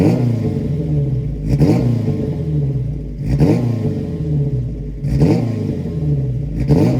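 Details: Alfa Romeo GTV race build, stainless large-diameter straight-pipe exhaust with one muffler ahead of the rear axle, untuned before dyno: deep throaty idle with sharp revs about every 1.5 seconds picking up cleanly; healthy, just loud.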